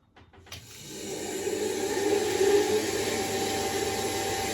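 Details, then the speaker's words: Combi boiler, front cover off, fan powered up after lubricating its bearings: a few clicks, then a loud, rough whirr that builds and holds steady from the worn fan motor bearings. "you can hear how noisy that is, and that's this fan here whizzing away."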